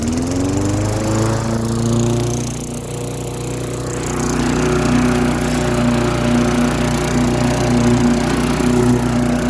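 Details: Lawn-Boy mower with a Tecumseh 4.5 hp four-stroke engine, revived after sitting 20+ years, cutting grass: steady single-cylinder drone dips briefly as the blade bites, then recovers evenly. Normal running under load.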